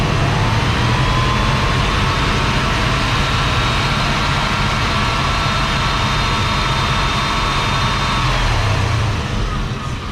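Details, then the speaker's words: Free go-kart engine after driving felt underpowered: thin steady high whine over rough running, not the suspected wheel bearing; owner suspects the idler or tensioner pulley, the idler seen wobbling slightly. "That whine's from somewhere else. Now, could it be, you know, like a pulley you know, tensioner pulley, idler pulley, one of those things going out, it could be."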